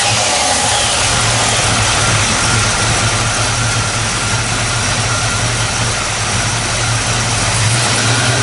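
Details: 1954 Chevrolet 3100 with 350 small-block V8, ceramic-coated shorty headers, Accel HEI, 700R4 automatic, heard with hood open: deep, even burble with steady low rumble, no knocks or misses; smooth, healthy idle.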